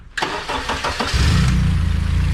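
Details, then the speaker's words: Lotus Super 7 with an S2000 F20C turbo swap on an AEM EMS Series 2, tune updated for new injectors. A few cranking turns, then it catches cleanly and settles into a smooth, steady low idle with no misses. "Starts up like a dream. Seems to be running well."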